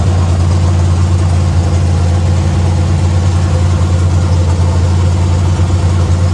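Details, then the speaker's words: Factory Stock race car V8 with the correct weighted flywheel fitted after a bad shake: deep, even idle with a smooth steady beat and no shake, knock or miss; fix successful, no rebuild needed. "Well, I call that a success, folks. [laughter] Sounds good, too."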